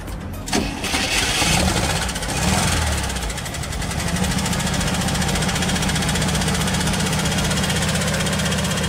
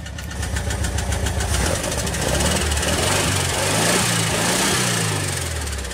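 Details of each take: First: 2006 Jeep Liberty after water pump replacement and engine re-ring, tappets on one side still need adjusting: catches quickly after short crank, settles to steady idle with light even tapping, very slightly unstable; normal start and idle. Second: Recently re-ringed air-cooled engine idling slightly unevenly with light fast ticking over the rumble; tappets on one side need lash adjustment, otherwise runs and pulls well.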